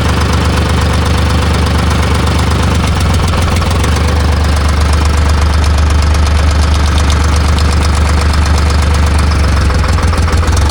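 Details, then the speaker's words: Timberjack skidder with a freshly rebuilt Detroit Diesel 3-53, owner reports missing, fan belts loose: heavy diesel runs rough, stumbling about twice a second and worsening; fuel starvation from a blocked fuel line. "Shouldn't be doing that. That's what it does, and it gets worse than that. Worse than that. All right. I need to check fuel pressure."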